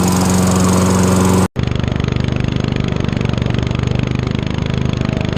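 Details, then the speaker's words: Toro Recycler 22" self-propelled mower, 6.5 HP Tecumseh single-cylinder, after clearing a hydrolock (oil in combustion chamber) and carb clean with new needle, float, gasket, bowl and fresh gas: settles into steady even putter after brief stop, no misses or knocks; runs healthy. "then I'm gonna try it started pulled it Bob about five times pretty hard some more oil came out"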